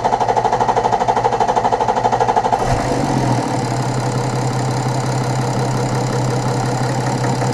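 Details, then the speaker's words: BMW F01 730d, N57D30 diesel, after all six Bosch injectors were replaced with factory remanufactured units to cure a tapping/knocking noise: catches, then a steady even idle clatter with no miss or knock; injector values within ±0.4; normal idle. "so i drove around a little bit feels good sounds good engine it's okay"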